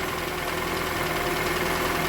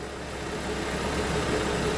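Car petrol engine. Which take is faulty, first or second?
first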